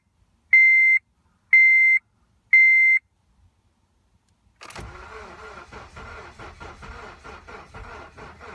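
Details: 2010 Honda Civic, 38K: three short beeps, then starter cranks evenly at about two pulses a second but engine never catches; crank, no start.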